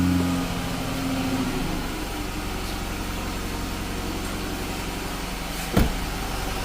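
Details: Chrysler 300 3.6 V6 after oil cooler housing and line replacement: engine catches after a short crank and settles into a steady, even low idle with no misses or knocks; runs clean.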